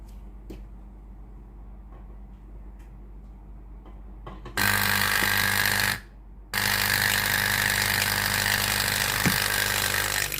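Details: Philips GC7620 steam iron, new replacement water pump bench-tested directly: loud, steady buzzing hum that starts abruptly, stops briefly, then runs evenly again; pump working normally.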